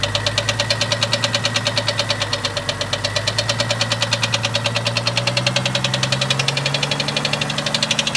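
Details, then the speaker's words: 1998 Jeep Cherokee XJ 4.0L that developed the noise overnight and still has it after lifter replacement: a sharp ticking knock, several taps per second, following engine speed over the idle, heard at the top end; cause unknown, doesn't sound like rod knock or piston slap. "well this is what I'm hearing sounds like it's in this area of the [Music] [Music] motor"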